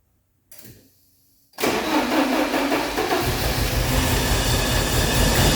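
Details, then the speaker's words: 1986 Porsche 944 non-turbo manual, first start after about 10 years parked, injectors freed with 12 volts: cold crank catches then lumpy uneven idle, noisy valve train, good oil pressure; suspected running on two cylinders, maybe more. "There we go. Yeah, like I said, I think that's 2 cylinders."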